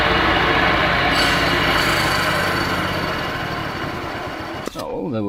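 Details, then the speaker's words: MTD twin-cylinder ride-on mower, sat outside five years: twin running fast with blade belt connected, loud rough clattering racket that fades as it winds down; dry blade spindle bearings, not yet oiled. "i'll start her up and see what sort of racket it makes it's gonna be pretty noisy with those dry bearings"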